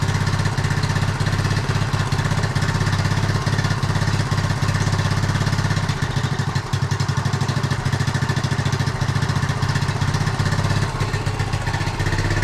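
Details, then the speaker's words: 1976 Honda Z50J1 Monkey, which has run poorly for the 3 years it has been owned, has a new carb that was stripped before fitting. Its small single idles unevenly, stumbling with an irregular clatter and a loping beat: running rough. Owner suspects a blocked carb jet and plans to clean it. "Doesn't sound right at all. I'm going to clean the carb out, I think, just to see if the jet is blocked."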